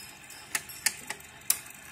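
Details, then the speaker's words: 1966 Dual P 1010 AV 52 record player playing an old record, before opening; mechanism works but no music comes through: only faint stylus ticks and crackle, and the amplifier gives no output. "Çok ince bir ses geliyor. O da iğneden gelen ses."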